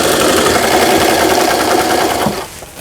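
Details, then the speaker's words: Brother XL5500 sewing machine after repair (damaged bobbin case, timing and forward/reverse button fixed), straight stitch with needle centred, reverse working: quick, even needle-drive chatter with no knocking or grinding; runs normally. "요거는 바느질 땀수라 그래서 넓고 촘촘하게 해주는 기능이 되겠습니다. 후진 정상적으로 작동되고"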